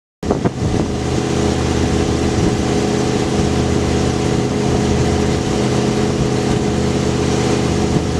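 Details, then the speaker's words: 1973 Lincoln Continental with previous owner's aftermarket dual 3.5-inch exhaust, after long cold start: catches into deep, loud, steady rumble, no knocks or misfires; loud free-flowing exhaust note. "but it was modified from the previous owner with dual exhaust three and a half inch pipe so it's loud"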